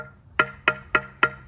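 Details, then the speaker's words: Rehung Russian Zik axe, audio test tapping the head: four crisp ringing taps about a quarter second apart, solid not hollow; head hung tight, a loose one would sound more hollow. "if it sounds like that, you're golden. If it's loose, you'll hear it. And I'm figuring out how I want to describe the sound that'll come from. It'll sound more hollow than that."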